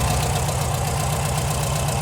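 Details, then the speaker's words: Warm air-cooled VW Type 4 engine, even steady low idle with a regular soft pulse and no top-end clatter; idling normally, though owner later suspects a dirty idle jet making it run lean. "वह बिल्कुल ठीक चल रही है वह सुस्ती से चल रही है बहुत अच्छी है कोई क्लिकिटी क्लैक नहीं है वह वास्तव में अच्छा लगता है"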